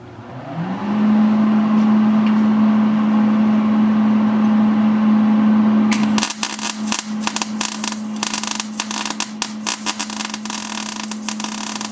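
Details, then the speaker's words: MIG welder set for about 22 gauge sheet while welding 1/4 in plate: steady hum, then uneven spitting crackle with no smooth sizzle; wire feed speed too low to give enough amperage to penetrate. "okay you guys heard how that sounded it didn't sound good I basically have this setting for for about a 22 gauge uh thickness of material and you can see this is4 in material that I'm welding on"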